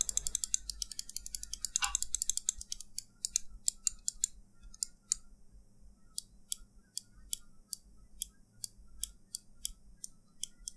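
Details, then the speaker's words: Glorious Model D mouse after foam padding fix inside the shell: crisp, sharp clicks about twice a second, with no squeak or hollow ring after each press. "now the final sound test no squeaky and hollow sound at all it will work in any mouse that has squeaky sound or hollowness"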